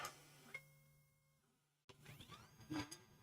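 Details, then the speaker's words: BoxTurtle filament changer on a 3D printer, loading T0 during troubleshooting with hotend at 255: short even motor whine about a second with light clicks, no labouring; loading sounds healthy, the earlier motor noise up top gone. "see how this works. See how this sounds. Oh, much better. It's I'm not getting that motor sound up top where it goes interesting."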